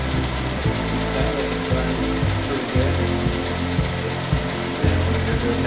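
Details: GMC Terrain 2.4L Ecotec four-cylinder at first start-up after a timing chain replacement and oil priming: a steady, even idle under background music with no rattle or chain slap, running normally.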